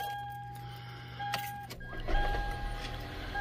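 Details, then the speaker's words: Gen 1 Toyota Prius (2001–2003), restarted once fuel pressure had built: the petrol engine starts and settles into a steady low hum with a high whine. The rattle heard on the first start, caused by no fuel pressure, is gone. "and now it won't do the rattle because the fuel full fuel pressure is up"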